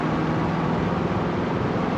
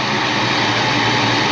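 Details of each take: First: 1988 Saleen Foxbody Mustang V8, fresh motor with Trick Flow 170 heads, Kenne Bell supercharger, Megasquirt ECU: lumpy uneven idle, sagging then recovering; misfire, pyrometer showed cylinders 5 and 6 running cooler; plug wire suspected, later traced to the Megasquirt setup. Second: 1988 Saleen Foxbody Mustang V8 with Trick Flow 170 heads, Kenne Bell supercharger, after fixing the misfire: steady even rumble, no stutter or skipped beats; exhaust primary temps now even, in the 300s to almost 400s; normal idle.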